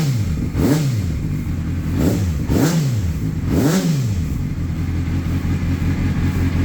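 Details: 2004 Honda CBR600RR after an aftermarket starter motor fixed hard starting; the cooling fan is not activating at 220–230 temperature: the engine catches cleanly, takes four quick rev blips, then settles to a steady even idle; normal running.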